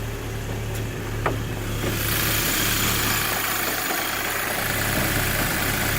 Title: Rough idle when cold gti mk5 part 2